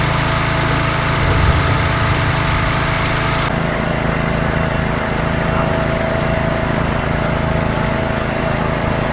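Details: Swisher rough-cut mower, blades engaged remotely, cutting tall grass: steady, even engine drone holding pitch with no misses or knocks; normal running under load.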